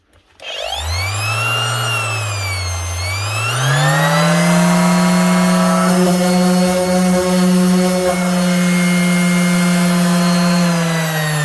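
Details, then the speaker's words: 2021 Makita BO6030 5-inch Velcro sander after replacing the speed controller (had been running too slow): motor whine climbs quickly to a high steady pitch and holds evenly at full speed, no bogging or hunting; repaired, normal. "Right, it should be this wee Makita sander, ready to sand again. Or at least ready to sand at full speed."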